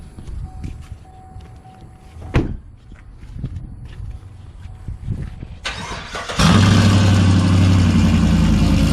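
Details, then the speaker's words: 2018 GMC Sierra 6.2L V8 cold start after Kooks long-tube header and off-road Y-pipe install, exhaust cutout open so louder than through the muffler, no air filter fitted: quiet cranking, then loud, steady, even idle with deep burble, no knocks or misses; normal. "i guess it's time for a cold start uh just keep in mind i did not put on my uh cut out as you can see it's it's open so this is gonna be louder than it would be with the club with the cutout closed which will go through the muffler"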